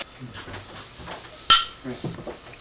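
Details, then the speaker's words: Home-canned pickle jars, turned upside down for about five minutes after coming out and then turned back over: two sharp single pops a little over a second apart as the lids pull down under vacuum, meaning the jars are sealed. "sound is exactly what you're looking for so that's the sound is the lid popping down what that means is that a vacuum has been created inside so these are now sealed"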